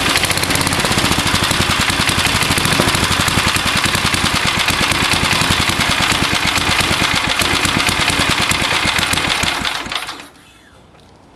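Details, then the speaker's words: Old (circa 1970s) Gilson mower, 3.5 hp Briggs & Stratton, just started after spark plug cleaning; chatters unevenly at fast idle then cuts out, won't idle slow without shutting off; rough running. "can make it idle really slow, but um she uh she shuts off."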